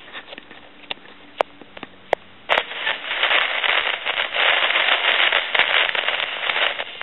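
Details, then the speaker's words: Tele Concepts telephone, handset dropped on the floor: quiet hiss with sharp pops, then harsh sizzling crackle when the potentiometer in the microphone feedback circuit is touched; noisy, failing potentiometer, may be replaced with a fixed value. "and you can hear that sizzling and cracking from that potentiometer"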